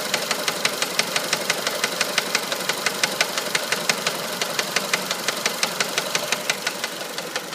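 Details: 1999 Mitsubishi Pajero iO 4G93: sharp, regular ticking knock, about three per second, over a quiet idle; owner suspects the crankshaft pulley, which wobbles noticeably, not confirmed.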